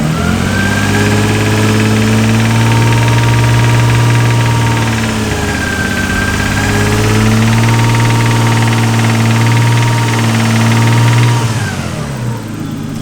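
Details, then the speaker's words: Barn-find Nissan R32 Skyline RB20, long unrun, being revved after warm-up: regular knock under the exhaust following the revs; owner suspects bottom-end rod knock rather than something in the head, unconfirmed. "And usually, you know, it's usually something in the head, but I think it's actually got bottom end rod knock, which is such a shame."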